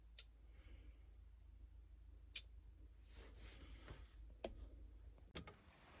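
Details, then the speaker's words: Lada Niva in the cab with the key on, during electrical rewiring: sharp single clicks every second or two as the headlight relay pulls in and releases, with the headlights switching on and off, showing the relay works normally. "There we go. You guys can hear that relay clicking on and off."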